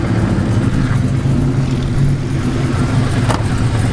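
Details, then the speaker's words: Car with a Spec Stage 2 clutch at about 1,000 miles idles with a loose, uneven rattle and clink, heard inside and outside the car; the clutch grips and grabs fine, and the cause is unknown. "as you guys can hear it's rattling its clinking but like I said it's not giving me no problems you know gripping clutch grabbing it's not giving me any of those problems it just has that ugly noise"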